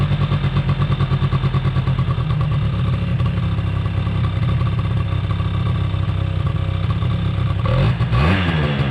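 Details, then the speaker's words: 2005 Polaris Predator 90 two-stroke quad, long-sitting, has a high idle. Spraying brake clean did not raise the idle, and an exhaust-area leak is suspected. Buzzing at a raised, steady speed that never settles to a proper idle, then a blip; cause unconfirmed. "Gotta figure out where it's coming from. I'm not totally sure, to be honest with you. I sprayed some, what I believe was brake clean, but it never raised the idle."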